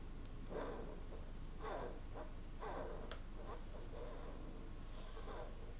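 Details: Samyang 85mm T1.5 cine prime, recorded on the C300 camera mic: soft, dry scraping bursts about once a second with each turn of the focus ring. A noisy focus ring that Samyang passed as satisfactory; the lens also has an aperture issue.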